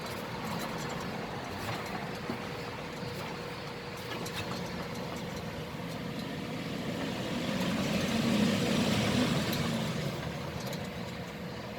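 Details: 2008 Volkswagen Passat with droning noise while driving, loudest above about 60 km/h: steady rough rumble with a faint humming tone swelling midway as the lifted wheel spins; worn hub bearing, replaced.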